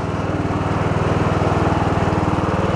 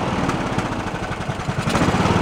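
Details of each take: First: Abandoned Poulan Pro riding mower, revived after earlier idling but popping back and not revving as if rich: small single pulls hard and even, about four beats a second with deck engaged, no stumbling or popping; runs properly under mowing load. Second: Abandoned Poulan Pro riding mower, blown head gasket suspected, valves roughly adjusted, gas had flushed in: lumpy, uneven single-cylinder chugging struggling to hold speed, no bottom-end knock; carburetor idle circuit clogged, runs only on choke and tries to die.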